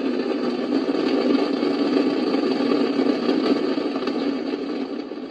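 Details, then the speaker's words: Icom IC-746 Pro transceiver, intermittent fault (about 10% of the time): flat constant hiss with a faint buzzy edge and no signal; S-meter pegged at full strength whatever the squelch setting, and removing the antenna makes no difference. Owner suspects dirty DC, out-of-range voltage or bad components. "if i take the antenna off i take it right off it doesn't make a difference there's still all that noise"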